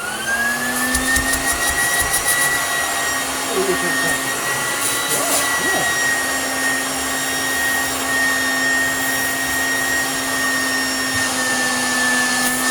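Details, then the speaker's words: Hoover Junior U1034 Exclusive vacuum running with the belt off: a steady high motor whine holding an even pitch, with no rattle or grinding; really smooth for its age, though the front bearing might be a little dry. "actually for what it is it's really smooth it's actually not bad at all so running it with the belt off your front bearing might be a little bit dry"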